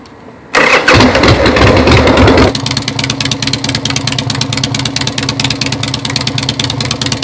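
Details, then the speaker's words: 2001 Harley-Davidson Sportster built into a taller offroad scrambler ("Dirtster") with mid controls. It fires at once with a short rev, then settles into a steady loping potato-potato V-twin idle of about three pulses a second: a normal start and idle. "With that, we'll fire it up here, give you a little listen."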